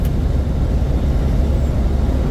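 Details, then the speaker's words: Big rig driving about 66–67 mph at about 1400 rpm with fan clutch engaged, after new belt tensioner (belt, two idlers, fan clutch previously replaced for screech): deep even road and engine rumble, no squeal or chirp; belt drive fixed. "ah nothing not even a turf"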